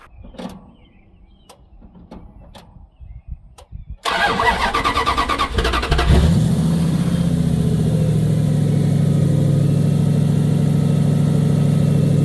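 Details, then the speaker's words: 1956 Dodge after muffler and plenum repair with new parts: cranks briefly, catches, and settles into a steady, even low idle with no shake, vibration or hunting; much smoother than before. "so much smoother though did you feel that yeah like it's not struggling it's not vibrating it doesn't shake as much as that"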